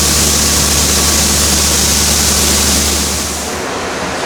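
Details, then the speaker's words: Cummins 5.9 diesel tractor pulling a grain cart, held at about half throttle: a steady, deep drone behind hiss, pulling evenly with no knocks or misses; sounds healthy. "just listen to this i love that sound five nine cummings about half throttle"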